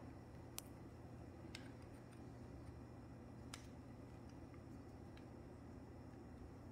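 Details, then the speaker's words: KES shower valve installed during bathroom remodel, cartridge out: faint irregular light clicks as the loose pressure-balancing floater hits its sleeve walls, amplified in the walls as water hammer; fix is gluing floater to sleeve. "this is the nightmare cartridge here you can see and hear floater hitting the walls and that clicking noise will be Amplified and heard loudly as a water hammer"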